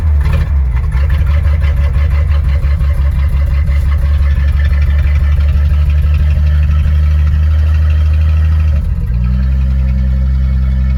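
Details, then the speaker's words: 1986 Ford F150 Bullnose, 300 straight-six, cold start at 40°F after sitting in snow, battery hooked up and starting fluid in carb: cranks, catches and settles into a deep, steady, even idle with no misses or knocks; healthy. "gotta love it 300 is sitting there purring away and look at this even with all the weight on the cab and the fact that the floor is Rusty like new"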